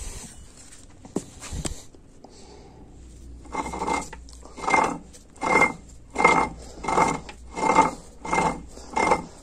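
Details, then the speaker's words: A604/41TE transmission from a 1999 Mitsubishi Eclipse GS, mid-rebuild and turned by hand after torquing the bolts: rhythmic rasping clatter in bursts about every second. This is because no gear is fitted on that side yet. "the reason why is that doing like that because it's not there's no gear on this side so that's why it's making that noise"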